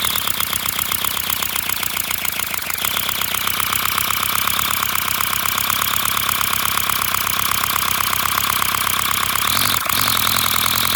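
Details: 3D-printed flat-four compressed-air engine, 30 mm bore and 25 mm stroke, run from an air compressor: fast, even chuffing about four beats a second under a loud hiss of air venting straight out with no exhaust; running steadily.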